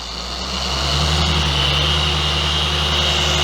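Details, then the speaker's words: Reference DA polisher, chest-worn microphone, used two-handed: even motor hum with a steady high whir and no rattle or shudder, running smooth up to high speed, unlike the rough-running Bauer 56367 20 mm orbit polisher. "so if you use it two-handed very smooth you can go up to high speed"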